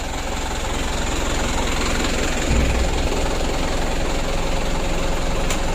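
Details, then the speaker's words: Mitsubishi Canter 136 PS HDL diesel truck, which had been hard to start with diesel getting into the oil, restarting after injection pump work: catches quickly and settles into a steady, even idle clatter; starts easily. "Alhamdulillah untuk hidupnya sudah lumayan bagus ya tidak sulit"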